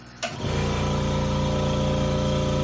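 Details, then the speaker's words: California Air compressor feeding a nitrogen membrane for a RICOR K535 Stirling cryocooler making liquid nitrogen: brief start-up thump, then steady, quiet, even hum with light buzz; runs normally, quiet enough to talk over. "you can hear that's pretty quiet. You can hear me talking without any issue."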